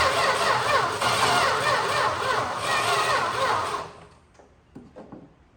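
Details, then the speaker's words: 1961 Valiant six-cylinder, sat over 30 years, no spark yet (points later filed): starter churns about four seconds at three to four beats per second without firing; weak, tired cranking. "the way it turns over doesn't sound great so that's good"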